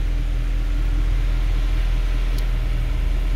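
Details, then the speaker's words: 2013 Mercedes C63 V8, 100k km, after throttle bodies refitted, fault cleared and battery replaced: cold start idle, deep steady even rumble with no ticks or knocks; normal healthy idle. "Yeah, come on. All right. Not bad, not bad. Nice. It is a cold start, by the way, yeah."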